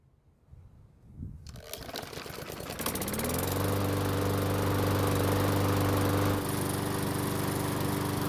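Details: Walk-behind mower that previously wouldn't start, run after repair with the blade removed: pulls, catches, then settles into a smooth, even drone with steady pitch and no misses; running healthy.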